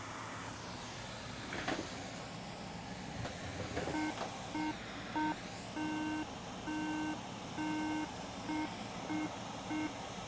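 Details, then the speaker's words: Late 2012 iMac 27-inch on power-up: fan spins at full speed, then nine low beeps (three short, three long, three short) and it shuts off. This indicates corrupt EFI/BIOS firmware. "Nine beeps, 3 short, 3 long, and 3 short, and it went back off."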